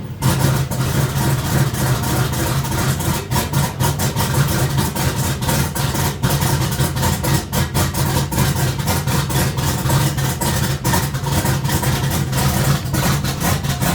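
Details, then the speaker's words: Turbo Chevy Silverado V8 running rough and smoking heavily right after new 1500cc injectors and performance fuel pump install; uneven idle and revs with stumbles and misses; good oil pressure; owner suspects excess fuel, needs tune, unconfirmed. "It's probably throwing a lot of fuel in it and burning it or something. I don't know."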